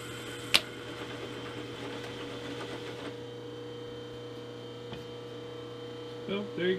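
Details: Repaired 3-inch R8-shank boring head with an indexable bar taking a 0.015-inch cut: steady motor hum with a light, even cutting hiss and no chatter or squeal; normal boring cut.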